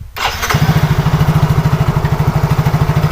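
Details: Yamaha scooter (Soul GT/Mio J/Mio M3) after fuel pump replacement and water removed from tank: engine catches right away and settles into an even single-cylinder beat of about three pulses a second, no misses; fuel was not reaching the injector.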